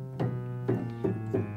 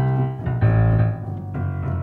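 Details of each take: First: Kioshi Gen-1 digital piano after adjusting sensor rail bracket height: five separate notes with matching loudness and clean single attacks, no doubled tones; keys now respond evenly. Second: Kioshi Gen-1 piano sensor system after calibration: notes come out at erratic volume, some very loud and one key silent, traced to incorrect sensor rail bracket height. Uneven key velocity from incorrect sensor rail height.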